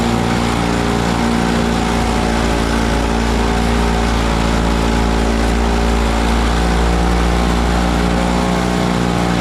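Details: Frontier backyard mini snowblower, small single-cylinder engine, clearing snow with rocks mixed in on a cold day; steady, deep, even drone under load, runs smooth and healthy – normal running under load.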